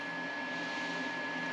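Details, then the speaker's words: Cabin power cabinet in Northwest Montana in winter: steady, even whir with a constant high tone, no rattle or wobble; inverter cooling fan running normally, just very noisy. "I'd be filming my outro right now, but all my power cabinet stuff has fans whirling away, so you can't hear me."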